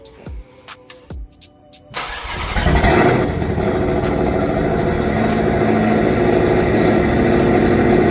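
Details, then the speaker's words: Turbo Redeye after replacing two burnt-out O2 sensors and clearing codes, sat 2.5–3 weeks in hot weather: a few clicks, then it cranks, catches, flares and settles into a steady, even idle with no stumble. The P0300 code is still present. Normal idle. "all right so we still got the code but you can hear is idling just fine"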